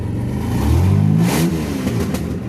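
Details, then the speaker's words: 1998 Dodge Ram now firing after the distributor was reinstalled in the correct firing order: engine revs and settles with a raspy, kazoo-like buzz on the exhaust note from an exhaust leak still to be fixed. No longer stumbles. "I'll put the distributor in correctly, and now she fires up. She still sounds like a kazoo because I got to fix the exhaust, but she doesn't stumble on her face no more."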